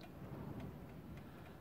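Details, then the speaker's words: Haller wind-up alarm clock, fully wound, ticking faintly at a steady beat, then stopping after almost exactly 60 seconds. The cause is not found; blunt balance pivots are suspected. "but believe me it'll stop for some reason now you can hear it's already out of beep now i don't know if you can hear the ticking from here there we go it stopped it pretty much exactly um 60 seconds"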